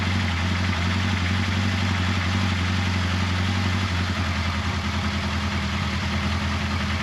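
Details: 1979 Kawasaki KZ1000 Shaft first start after valve clearance check, carb cleaning, intake boot reseal and head bolt re-torque, carbs primed: settles into a smooth, even idle with a steady low drone, no knocks or ticks; sounds healthy.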